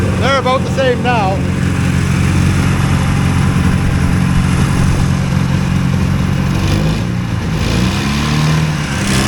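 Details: Two-cylinder hovercraft engine held at a deliberately high idle because the drive pulls a fan load constantly; loud, steady drone well above normal idle with no dips.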